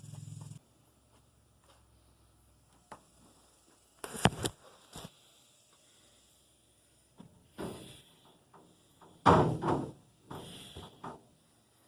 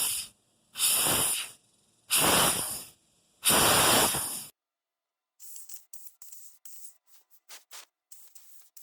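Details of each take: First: Vapor blast cabinet after repairing a leaking Harbor Freight Central Pneumatic 1/2" air regulator: short bursts of sharp air hiss with quiet pauses, each blast starting and stopping cleanly; blaster working normally after repair. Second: Harbor Freight Central Pneumatic 1/2" air pressure regulator on a vapor blast cabinet, spring tension off: sharp one-second air hisses and faint spitting bursts from a regulator that should be sealed; leaking air.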